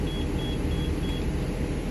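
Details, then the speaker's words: Short high beeps about three a second over a low diesel rumble from a 2014 Thor Palazzo XCS motorhome, Freightliner chassis, Cummins diesel, in neutral; low air pressure warning after releasing the parking brake, while air rebuilds and airbags inflate. "I push the brake like that it'll stop beeping so let's see what happens"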